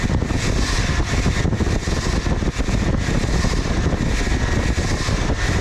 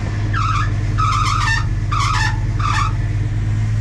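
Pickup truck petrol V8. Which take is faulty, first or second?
second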